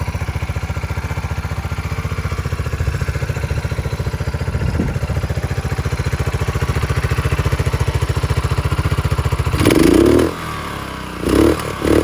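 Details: 1997 Suzuki Savage 650 single, 2,000 miles, parked nearly 20 years, after a full carburetor clean and a new battery: steady, even idle thump, then a couple of clean throttle blips; runs smoothly and healthily.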